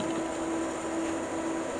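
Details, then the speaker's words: Rat rod dually truck with a swapped 460 V8 idling warm: electric cooling fans switch on at 180 as intended, the first time it idled long enough, a steady air rush and hum with no rubbing or ticking. Owner worries the air-fuel mixture is off. "Okay, this is the first time I've had the fans kick on. First time we got it idle long enough to get them to kick on. And they kicked on when they're supposed to at 180."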